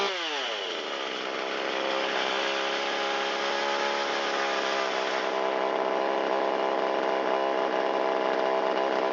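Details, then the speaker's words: Shindaiwa 360 chainsaw, long-stored, Walbro WT-89 carburetor, choke in, after low-speed screw turned out half a turn to cure a lean bog: revs fall from a high buzz into an idle that sags slightly. Slightly rich at idle; screw turned in a quarter turn. "That little dip down indicates it's a little too rich at idle."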